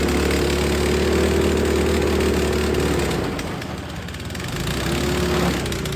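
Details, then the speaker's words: Snow blower small single that sat all spring and summer on ethanol gas and wouldn't start; gas changed, carburetor cleaned. Fires at a steady, even beat, dips briefly, then settles without stalling or missing; normal running after carb cleaning. "okay so I have to pull the key up I've clean the carburetor out and it starts"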